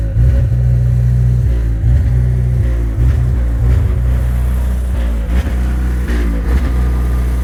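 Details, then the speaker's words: GE natural-gas standby generator installed 2011, with a new gas service line and meter, during its exercise cycle: it started fine, then a loud low note dips and recovers unevenly, as if missing a cylinder. Surging and running rough; gas supply doubted as the cause. "it started off just fine and then it started surging and it sounds rough it sounds like it's missing a cylinder or something"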